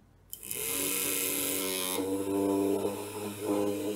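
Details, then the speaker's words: Supplied 6V DC motor on bench power supply for Arduino load-switching test: steady high electric whir, even pitch, no grinding; motor turning normally. "and it's turning good the dc motor is working"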